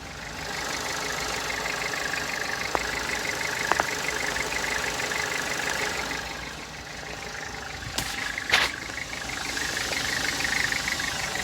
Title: Volkswagen Jetta 2014 weird noise after starting it up goes away after driving